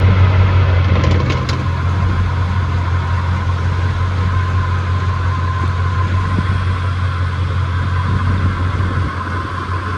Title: Chevrolet 10 bolt rearend making noises. Bad differential!? #mechanic #automobile #mobilemechanic